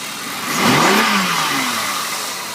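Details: 1996 BMW E36 328is: a steady airy hiss over the petrol engine as it blips up briefly and settles back.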